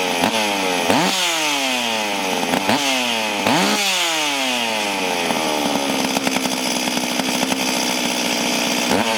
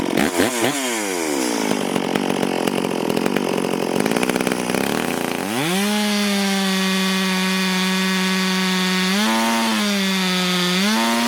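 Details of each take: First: Stihl MS440 chainsaw, clean but reportedly down on power, start and test run before port work; sharp blips rising and falling with gritty rattling whir over the engine; noisy clutch bearing. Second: Stihl MS440 chainsaw, owner reported it down on power, test run before port work, cutting wild oak on the ground a few years: holds strong steady revs buried in the cut, screams up clean when clear; self-feeding, pulling good chips, normal cutting under load.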